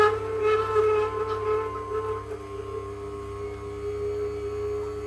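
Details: Ninja cold press masticating juicer juicing dill and parsley: loud sustained near-steady high squeal as auger turns; leafy green juice poor lubricant, avoid overloading tube; auger squeak.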